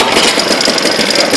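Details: 1976 Ted Williams Sears ESKA Gamefisher 7.5 hp air-cooled Tecumseh two-stroke outboard, carb and fuel lines redone, restarted in neutral: quick, even buzzing putter, steady with no cutting out; idling smoothly.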